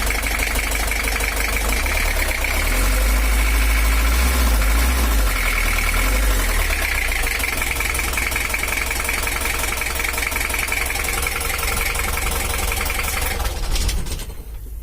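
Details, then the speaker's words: 1982 Toyota Hiace LH11 diesel, overheating and non-original exhaust: harsh, uneven idle with hard knocking clatter about 220 a minute; rough idle from incorrect injection pump timing, to be re-set. "kita coba hidupkan dulu suaranya kasar ya"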